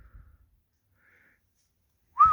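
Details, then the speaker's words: Pebl with two hidden 120-decibel vibration alarms armed: quiet handling, then one short falling chirp as it is moved, the alarm's warning "go away" beep sensing movement. "Didn't make it. Okay, that's the go away beep. It sensed that it was being moved."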